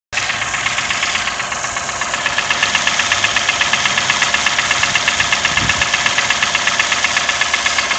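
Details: Toyota 1KR-FE engine: sharp, even ticking knock about three times a second over a steady idle; timing chain, tensioner and guide already replaced with new parts, cause still unknown.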